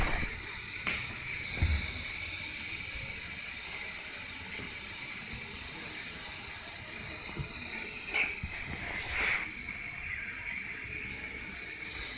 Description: Ford Figo1.4 Tdci A/C compressor hissing sound